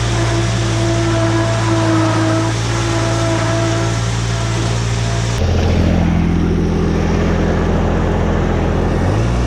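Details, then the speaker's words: Woods 6215 mower with Kubota three-cylinder diesel, after spindle bearing, U-joint and belt replacement, deck and blades refitted: steady even diesel drone with no knocks or rattles, note drops and settles midway; repaired and running normally. "watch your feet seems to be doing okay [Music] sounds good that [ __ ] cover well that's all we got to show for this episode folks this woods mower is fixed"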